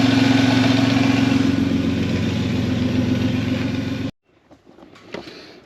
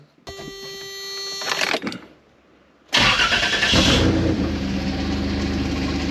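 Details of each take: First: 3.4 L Toyota Tacoma V6 with belt-driven York air compressor, running after the mounting problems were sorted: steady, even engine with a smooth pulse, no clicking, clacking or belt shredding; normal running. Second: 3.4L Toyota V6 (Tacoma engine) with a York AC compressor converted to an air compressor, mounted below the power steering pump, on first startup: the engine runs with a harsh rough rattle and growl. Bad compressor bearing, and a bent pulley.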